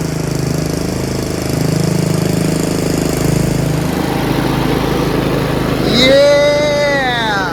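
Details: Yard Machines 38" riding mower, 13.5 HP Tecumseh, after fixing slow cranking and no-start: a steady single-cylinder chug holding even speed without stumbling or dying. Normal running, charging at 13.5 volts.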